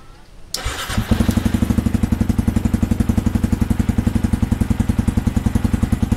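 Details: Yamaha R15 V2 after fixing a starter problem traced to a faulty starter relay: quick starter whirr, catches and settles into an even idle of about ten firm pulses a second; clean start.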